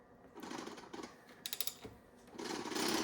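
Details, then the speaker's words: BMW E60 M5 S85B50 V10, sold as blown head gasket, valve covers off, engine turned slowly by hand with a 32 mm socket: faint irregular clicking and bursts of rattle; owner suspects timing chain or cam, not confirmed; low compression found in cylinders 4, 8, 9. "Oh, that doesn't sound good. That sounds like timing"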